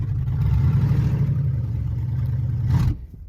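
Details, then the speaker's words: Truck with a bad fuel pump, running on an improvised fuel feed through a vacuum port behind the throttle body. Low engine drone that cuts out abruptly when given too much throttle; lean stall. "Oh yeah. You see how you give it too much throttle, she just dies."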